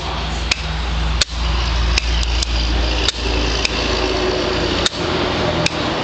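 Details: 50 hp OMC outboard starter test with 12.7 volts measured at the starter input: sharp single clicks with no cranking; faulty starter.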